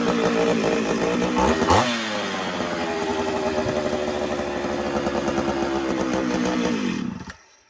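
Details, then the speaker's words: Ported Homelite Super XL-925 82cc two-stroke chainsaw, first start: revs up, then sags and stumbles before dying back. Owner thinks it wants fuel, with the carb low-speed screw at 1¾ turns possibly needing more. Not confirmed. "All right, so she's running now. What do you think? She wants fuel."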